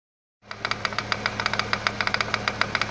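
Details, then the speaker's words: 2008 BMW 335i twin turbo at idle: sharp irregular knocking, one or two knocks a second, traced by feel to vibration through the hose to the failing power steering pump. "That's the power steering pump. Yeah. This the power steering hose? Yeah, that's the power steering pump."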